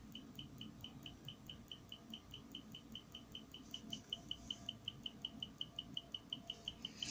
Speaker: this particular Reed switch makes a noise hear the tick tick tick tick tick